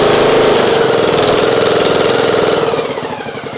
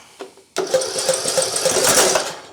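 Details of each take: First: Craftsman YT 3000 lawn tractor with Nikki carburetor after flooding: cranks, catches with a high rev, then a steady even idle; hard starting needed the fuel fully off and it didn't want choke, owner suspects the carburetor flooding. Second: Craftsman YT 3000 lawn mower after spark confirmed and fuel blown off the spark plug: cranking turns into uneven popping and sputtering as it tries to catch; owner suspects the carburetor; flooded engine.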